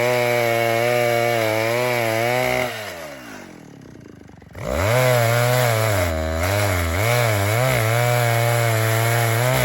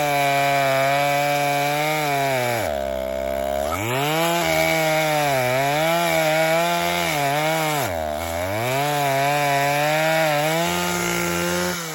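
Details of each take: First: Vintage 1960s Stihl 08S chainsaw, close to 60 cc, with chain brake, cutting dead ash firewood: strong even revs under the cut, drops to a smooth steady idle, then picks back up cleanly; lots of torque, runs good, normal running and idle. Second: Vintage 1960s Stihl 08S chainsaw, about 60 cc two-stroke, cutting firewood before high-speed screw richened 1/8 turn; screams at full throttle and sags in each cut, sharp thin note; owner thinks it needs more fuel; lean high-speed mixture.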